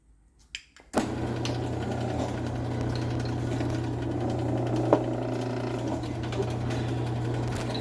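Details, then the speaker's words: LiftMaster 8587W garage door opener running on a rail with no load, force set near minimum, arm held back by hand: steady low motor hum with a coarse grinding edge, yet it never trips the force or reverses. "so I mean I'm sure you could hear the motor grinding in there but does not want to trip the force"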